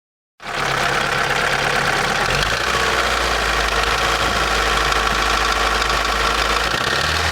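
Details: Daewoo Nexia N100 1.5 8-valve, hydraulic lifters already replaced; idling with fast steady tapping about four knocks a second; source of knock unknown.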